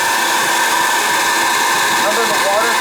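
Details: Riello oil burner on a Weil-McLain Ultra boiler with an overhead oil line and running issues. The burner is run without firing, to check oil flow. A steady high-pitched fan motor and pump whir with no flame roar.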